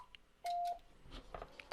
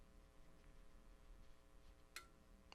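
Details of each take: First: Icom IC-7300 internal tuner at the top of the band: keys very briefly with one short beep, no relay chatter, tune indicator stays off because the antenna is beyond its roughly 3:1 SWR range. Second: Icom IC-7300 internal antenna tuner, mic moved near the radio, tuning across 40 meters: two sharp, faint relay clicks over a low hum as it recalls memorized settings per frequency; normal.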